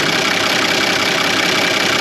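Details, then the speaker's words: 1985 Toyota Land Cruiser HJ75 diesel idling steadily with a vacuum fitting pulled off; strong continuous hiss of air drawn in, plenty of vacuum felt at the thumb, so the brake fault lies in the drums or calipers. "Yep, plenty of vacuum. Hold on a minute, you can't It's pulling that and then you can actually feel it sucking your thumb up against it."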